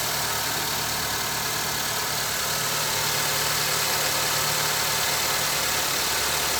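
Steady idle with a regular tapping near four per second riding on a hissy engine note; knock at idle, source not pinned down.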